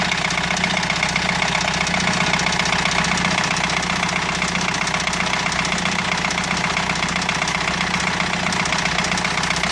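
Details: Renault 2.2 dCi diesel at idle: steady idle with sharp regular knock about four times a second over diesel clatter; abnormal internal knock, cause undetermined.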